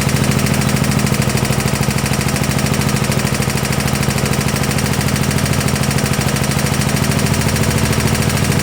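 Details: 1972 Gravely 816 tractor, Kohler Command 18 engine, first run: hard regular metallic knocking every turn, loud throughout; engine blown up and seemed to worsen while running.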